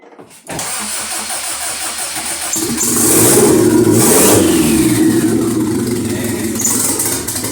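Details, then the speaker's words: Honda Civic EM2 with stock D17 swapped in after rod failure, oil primed, downpipe unconnected: cranks briefly, catches cleanly into a steady even idle with a short rev, no knocks or misses; belt squeak noted, sounds healthy. "there we go okay sounds good to me oh all right sounds pretty good this belt just needs to be tightened so that fat squeak himself more but yeah she sounds good"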